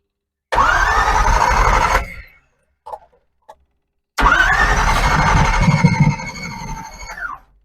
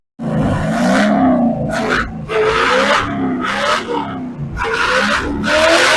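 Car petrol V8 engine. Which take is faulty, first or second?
first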